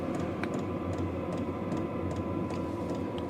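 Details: Vevor diesel heater running indoors, outlet air around 141 to 155 degrees: steady rushing fan hum with soft tick roughly every half second from the fuel pump; running evenly and normally.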